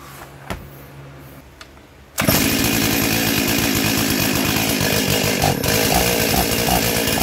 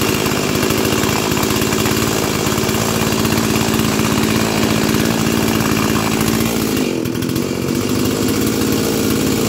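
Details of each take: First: Stihl 036 junkyard chainsaw, first start after carb install and new NGK plug, no air filter fitted: catches and runs loud and rough, revs sagging instead of climbing cleanly, bogging down; cause not confirmed. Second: And I did already have it running, and I tuned up the carburetor. So that's not going to be in this series of videos, but here it is. The rescue from the junkyard. Let's fire it up.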